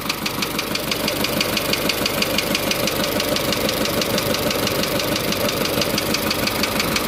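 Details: Isuzu Elf 4HL1 diesel with ECU, running after a crank-but-no-start fault was solved: steady diesel clatter at even idle, about two beats a second, no misses or stumbles. Normal diesel idle.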